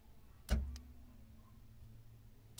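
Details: Fiat Palio with newly installed electric trunk release, triggered by Positron alarm auxiliary button and dash button: two sharp single clunks about two seconds apart; latch releases properly.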